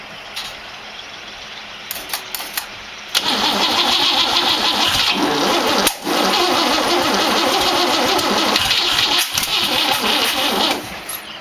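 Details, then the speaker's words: 1914 Dodge T-bucket roadster with a modified distributor, carburetor cleaner tried: fast, even cranking with occasional pops but the engine never catches. Cause: firing order was wired clockwise (old Ford habit), but the distributor turns counterclockwise (Chevrolet rotation). "well bonehead mistake I put it firing order on here clockwise old Ford hangover visitor"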